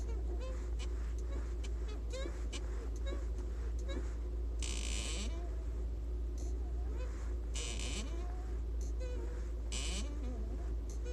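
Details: Lada Vesta, 1.6 with VAZ gearbox, six months old at 6,744 km: repeated high chirping squeaks with each clutch pedal press over a low idle hum; began a month earlier, and dealer silicone spraying twice did not fix it.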